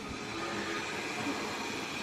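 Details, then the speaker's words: Model locomotive, gears greased after making unsettling noises: quiet steady whir with a faint even gear hum, no grating or catching; runs smoothly, a very good runner. "now you'll see she's a very good runner as well"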